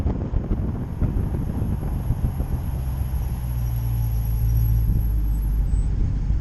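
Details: 2017 Dodge Challenger SRT, under 20,000 miles: very high thin steady brake squeal for about five seconds while slowing; dealer calls it normal for a performance car, owner disagrees.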